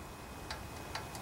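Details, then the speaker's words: Honda GC160/GC190 pressure washer engine pulled over slowly by the rope: sharp, light metallic ticks from the exhaust valve with excess clearance, needing valve adjustment. Engine was also overfilled with oil. "that's probably the problem so that is the exhaust valve can you hear it"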